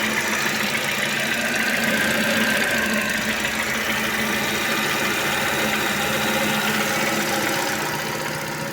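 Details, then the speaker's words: Ravon R4 engine idling after water pump replacement (old pump bearing had play, causing ticking; tensioner also suspected); steady, even idle with smooth hum, earlier noise gone, no knocking or whine. "Мінекей, мұндақ көрсеңіздер, кәндегі дыбыс жоқ болды."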